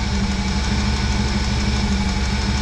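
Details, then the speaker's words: 1996 Chevrolet C1500 Suburban V8, warm, just after new crank and cam angle sensors and coil pack; steady idle with a light, quick tapping on one side, owner suspects valve lash needs checking; engine ticking. "see you sure sweet oh that's good a little bit of a noisy tap it on this side but"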